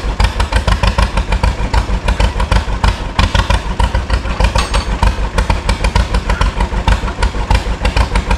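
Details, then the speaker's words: 1936 John Deere Model A two-cylinder, first run after sitting three years, fresh gas: slow uneven popping about three beats per second with clatter; runs rough, owner thinks it needs adjustment. "It needs a little bit of gist but And I'm not very good at that part. But I'll adjust a little bit I don't know. That almost sounds good in a way but I'm not sure."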